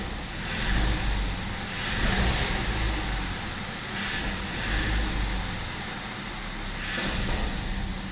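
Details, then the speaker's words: BMW 520i E60 2.2 M54: idle is stable, but on acceleration between 600 and 1100 rpm the engine surges, stumbles and bogs instead of picking up; suspected idle air control valve, vacuum leak, DISA or sensor fault, unconfirmed; stored faults are stability-control and climate only. "meu carro tem uma avaria que falha, tem uma falha, uma quebra ao acelerar entre as rotações de 600 e 1000 e pouco."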